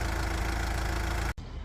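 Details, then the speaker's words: Car idling after alternator belt noise repair: a steady, even low petrol rumble with no squeal or knocking. The engine barely vibrates now, where before it shook a lot. "aqui ó o carro já funcionando com tudo certinho você vê que ele mal vibra antes ele balançava muito e a agora ele mal tá vibrando para vocês verem que o serviço deu certo funcionou"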